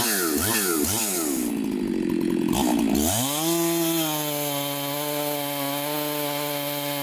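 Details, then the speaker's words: Chainsaw after bench repair, apparently mildly ported, test cuts: labours briefly through the cut then climbs to a steady, clean high rev without stumbling; running well, though it may need fine tuning or a less aggressive chain. "but i am so stoked right now this saw is probably the best running saw that i have"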